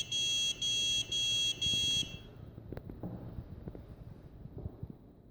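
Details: Huanan X79 Deluxe board (damaged) with 650 W PSU, 4×8 GB PC3-10600R RAM and Xeon E5-2603 fails to start: steady high beep pulses about twice a second for two seconds, then only faint clicks; cause unknown.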